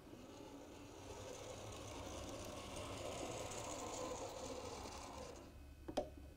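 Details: 40-year-old Hornby Class 43 HST model locomotive after motor replacement, at about scale 70 mph: quiet even whirr of small motor and gears rolling smoothly along track, no catching or grinding; runs healthy, pulling power untested.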